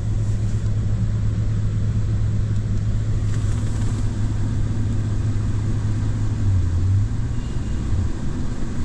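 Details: Mercedes W222 with engine light flashing, random misfires, shaking and low power: low, heavy idle rumble with an uneven, lumpy beat and no steady rhythm; random engine misfire.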